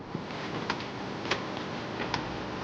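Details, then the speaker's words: Yamaha 115 hp two-stroke outboard, key turned on and pushed in before cranking: four faint separate ticks about every half second as the choke flaps close (no primer solenoid), working normally. "They don't have the primer solenoid on this one. They have choke flaps. So, the flaps are going to close and they're pretty easy to hear if you listen."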